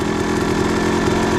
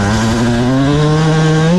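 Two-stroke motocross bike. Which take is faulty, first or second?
first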